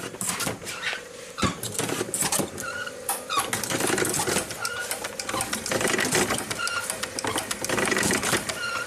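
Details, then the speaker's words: 1968 Corvette wiper/washer system, engine running: busy pulsing whir with about five squirting pulses over a full round, then it stops; washer pump running its cycle normally. "oh, that's super cool. So it makes one whole round, so it squirts like 5 times and then stops."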